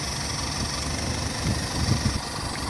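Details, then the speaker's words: Toyota car with hard starting, poor fuel economy and weak power shows a rough, shaky idle with a low uneven throb, heavy vibration and faint ticking; plug-by-plug check finds cylinder three's spark plug fouled, causing the misfire. "ं जी आपने मिशिंग देख ली कितनी ज्यादा missing है engine vibrate कर रहा है बहुत ज्यादा देख प्लग काम कर रहा है"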